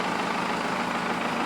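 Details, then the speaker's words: 1992 Toyota pickup 4x4 with Cummins 4BT diesel swap, H1C turbo, automatic, straight axle: steady, even diesel clatter at fast idle with no knocks or misses, a little black smoke; runs good with good power, normal diesel idle. "other than that truck runs good good power whatnot so I'll fire it up for you guys here so you guys can hear it and see it run so you guys will actually believe me that the thing works"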